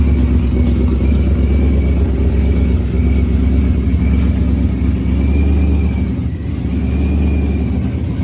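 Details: Procharged Ford Coyote engine, first start-up after build, running on external fuel pump: deep, even idle with a faint high whine on top and a smooth dip near six seconds; engine runs cleanly and steadily, normal.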